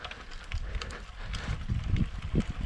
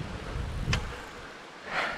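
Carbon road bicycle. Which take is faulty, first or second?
second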